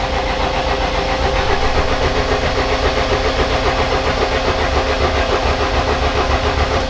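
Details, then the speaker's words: 1000hp AWD Honda Civic after rebuild, long stored, battery 13.87 V, cranking with injectors and coil packs unplugged to build oil pressure: even steady cranking near 220 beats a minute, no firing or knocks; turns over freely. "Once we see oil pressure is being built, plug that back in and go for a startup. All right, let's hop in here. Ugh. It's been a while since I had to crawl in this. All right, our main switch. All right. It's turning over beautifully."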